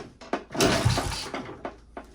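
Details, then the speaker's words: Moto Guzzi Galletto barn find unused about 40 years, head work done, good compression, fuel confirmed: scattered kickstart thumps, then one brief loud cough that dies at once; engine coughs but won't start. "That sounded a bit more hopeful."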